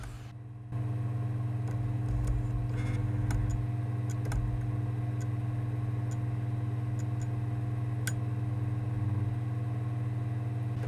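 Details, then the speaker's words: Sony PSX DESR-7000 with freshly installed Matrix Infinity v1.93 modchip, loading a PAL PS2 disc: steady motor hum with scattered irregular ticks as the lens keeps seeking, disc never spins up or detected; optical drive laser failing to read. "it should have detected the disk by now and started to spin it up you can't hear it spin it's struggling trying to focus on the disc"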